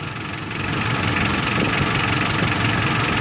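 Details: 4D56 diesel, warmed 10+ minutes to operating temperature, idling steadily at about 680–690 rpm with even, light clatter and no hunting or misses, right after fuel enrichment screw adjustment on the injection pump; idle sounds properly set.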